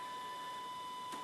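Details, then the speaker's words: 2008 VW Golf Variant 1.4 TSI that cranks but won't start, awaiting timing chains: steady mid-pitched whine with key on and engine off, pitch changing; traced to an unidentified component suspected as the trouble. "okay now the pitch changes turn the turn off the key now where is that coming from that noise is coming from whatever this thing here is okay well have a look at that very closely in a second but whatever that is I think that's where the trouble is"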